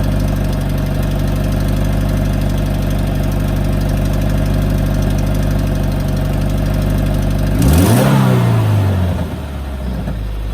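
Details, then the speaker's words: 2018 Subaru WRX base (Stage 1+ COBB tune, COBB intake, muffler/resonator delete) idling with a loud, loose metallic clacking from the engine bay, unchanged by a quick rev; began a week or two earlier and worsened; cause not found. "it sounds like metal clacking inside but I don't know just anything guys"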